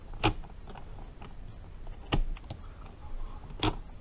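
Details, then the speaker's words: Rebuilt 1953 Harley-Davidson Panhead four-speed transmission, shifted by hand on the bench with the lid on: three crisp single clunks a second or two apart as the gears drop in; normal, clean gear engagement. "And that's third. You hear it drop in. And then that's fourth. Drops right in nice, shifting beautifully."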